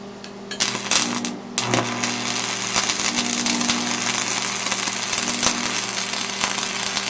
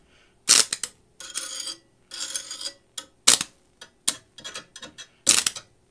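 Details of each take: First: Lincoln Tombstone 225 AC buzz box stick welder cranked to 115 amps: a crisp, steady crackle and sizzle over a constant low mains hum, with no sputtering. It lays a normal, healthy arc. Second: Vintage Lincoln Tombstone 225 AC buzz box stick welder, before repair and turned up to 225: short broken crackles with silent gaps. The arc fails to strike or hold, and output feels like about 120 volts, half what it should be.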